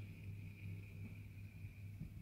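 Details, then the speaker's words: Central heating pump during mid-position valve test, heating and hot water on, room thermostat turned down; click as pump stops a split second then restarts; quiet steady hum with faint high tone; normal running. "yeah that click the pump stop for the split second then started again"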